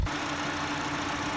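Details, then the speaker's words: First-generation Honda Fit, after replacing the faulty number 4 ignition coil pack: even, steady idle in drive with a low, unbroken exhaust hum and no spitting or sputtering. It stays smooth with the AC compressor engaged. Normal idle. "listening to the exhaust stream you can now tell after replacing the faulty coil pack with a good one that the exhaust note is nice and smooth without any spitting or sputtering"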